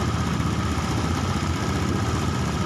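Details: Honda Beat eSP fuel-injected scooter being diagnosed for hesitation and rpm drops, with a suspected air leak; ticks over evenly at a raised idle, steady with no stumbling or misfire; normal idle.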